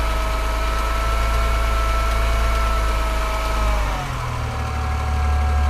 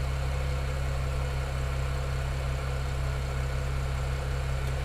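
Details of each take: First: BMW 335i N54 after Chinese 17T hybrid turbo install, first start, revved to limiter then back to rough idle: light uneven metallic tick about four per second over exhaust drone; exhaust leak or injector suspected, possibly always present, unconfirmed. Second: BMW 335i N54 first start after Chinese 17T hybrid turbo install, oil about 70°C: smooth, even low idle, steady deep hum, no ticks; an earlier slapping sound was possibly a drained lifter after two weeks parked.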